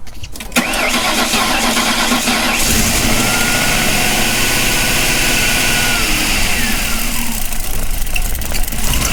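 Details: 2006 Lincoln Town Car 4.6L V8, first start after intake manifold and fuel filter replacement, codes cleared, fuel pump primed first; short crank, then catches and settles into a steady even idle with no obvious knock or hiss.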